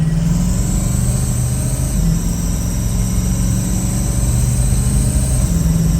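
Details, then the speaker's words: Loud diesel idle with rapid, even puffing tick over the low rumble from a 2007 Ford F350 6.0 Powerstroke; leaking exhaust manifold, mixed with up-pipe leaks. "did have up pipe leaks so we had a mixture of sounds going on here"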